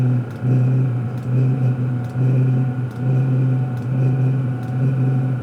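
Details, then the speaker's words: Cheap eBay Webasto-clone diesel night heater just fired up; steady low hum with soft ticking fuel pump pulse about once a second, building evenly as the blower fan speeds up faster and faster; normal start-up. "a fun speed getting faster faster faster"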